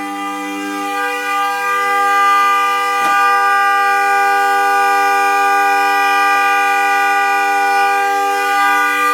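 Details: Car horn stuck on at 2:30 am on a freezing December night, not the alarm: steady, unbroken two-tone blare that never lets up, continuing even with the car started; cause not confirmed.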